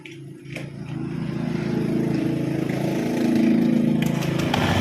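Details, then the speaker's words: Honda Scoopy (K44) scooter, before repair, weak power and rough CVT sound: rough, uneven crackle riding on the engine beat at idle and revving, from vibration of a hardening drive belt, hardened CVT drive belt. "okay, the sound of the engine is like that, crackle, crackle, this crackle sound comes from the vibration, Bro, the vibration is starting to harden,"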